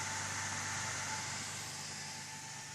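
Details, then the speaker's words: AMD FX-8350 with the stock cooler under a stress test: CPU at 3.72 GHz and about 68°C, fan at roughly 5.5k rpm and rising. Loud, steady airy rush with a thin whine; the stock fan is spinning flat out. "I believe you can hear the noise the this man makes it's just awful it's the worst thing that can happen to you when you're working and you're trying to concentrate on something and it's like having a server right beside"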